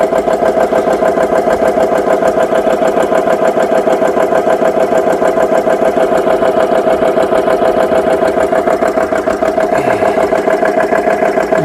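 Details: GX CS3 high-pressure compressor after repair, fans on, set at 4500 PSI, deadhead fitted, filling a gun toward about 3,200 PSI: even, strong pumping at about three strokes a second with a steady tone; compressor running normally.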